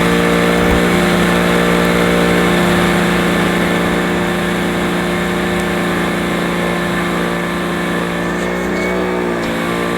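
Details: Old Electrolux 550 upright vacuum cleaner running: loud steady motor drone with a coarse buzzing roughness on an even whine; the motor sounds rough.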